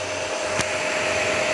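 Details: Home-built 15 A CT 55 power amplifier with cooling fans and an MCRD V2 driver: constant rushing airflow with a faint steady tone, no rubbing or clicking; the fans spin smoothly and sound healthy.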